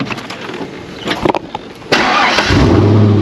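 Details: Chevrolet Corvette C5 just smog-registered. Clicks and cranking, then the engine catches and settles into a steady idle with no knocking underneath; normal start.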